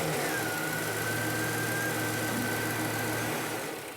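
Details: V8 truck idling during a fuel-system check, running fuel pressure about 60 PSI: steady, even idle with a low, constant beat and a faint steady whistle on top, no misses or knocks; normal idle.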